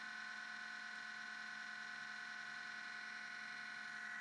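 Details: MacBook Pro at startup: steady, even buzzing whir with several fixed high tones, unchanging; sometimes hangs at the blue login screen; Apple store found nothing wrong; cause unknown.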